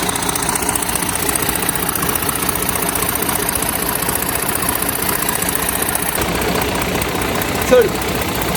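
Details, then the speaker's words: HGV truck diesel idling and revved in rain: sharp ticking chuff in time with firing; exhaust manifold leak, two front manifold bolts missing, blowing at the manifold. "There's two missing out of the front, which you can hear it blowing on that exhaust."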